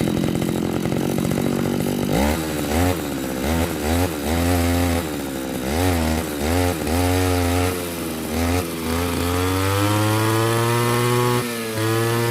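Small two-stroke starts and revs up and down freely, firing evenly with no misses or stumbles; it runs clean and healthy.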